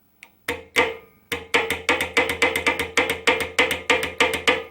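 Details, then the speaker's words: Honda Odyssey automatic transmission, removed from the car after losing drive in one gear, on the bench. A shift solenoid valve is energised with a ground wire, giving sharp, crisp, even clicks about three per second as the armature fires normally. "okay so the both actuator you can hear the armature firing basically along the solenoid"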